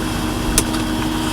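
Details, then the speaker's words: Car idling during a purchase walkaround: a steady, droning mid-pitch whine with one sharp click. Owner says the fuel pump is going crazy and cooking itself, and shuts the engine off; the fix (pump under the seat) is left for later. "and you can hear the fuel pump kind of going crazy there"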